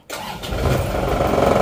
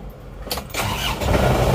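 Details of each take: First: Isuzu Panther Turbo diesel, after runaway caused by overheating-scored liners and blow-by, restarted with air intake restored: starter catches almost instantly, steady even idle, healthy start. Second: Isuzu Panther Turbo diesel, after a runaway caused by overheating that scored two liners and raised blow-by: it cranks with a labouring rhythmic rumble but does not start, because the air filter has been reversed to seal off the intake as a demonstration.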